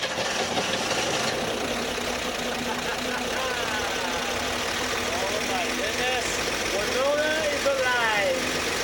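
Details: 1961 Corvair Lakewood after at least 25 years of storage, with a big battery and more gas added: it catches and holds a steady, slightly uneven idle, running.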